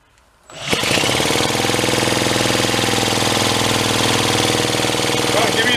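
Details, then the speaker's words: Pre-war Elgin cycle engine stored 45+ years, cranked with fuel shot down the throat: cranking drone with only irregular sparse pops that never catch; intermittent firing, owner suspects weak, intermittent spark. "Yeah, I think we just have too weak a spark for it to do what it needs to do. It's kind of like a hit and miss engine, isn't it?"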